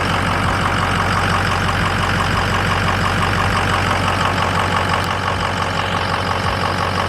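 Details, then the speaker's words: 6.0 diesel truck idling just after replacing injector number four, suspected of causing a rough idle and stalling. Even diesel clatter about three beats a second, no stumbling or hunting; it sounds much better after the repair. "when we got done and started it and we ran it a little bit yesterday it sounds so good it sounds so much better um it drives great everything feels really really good overall with the truck"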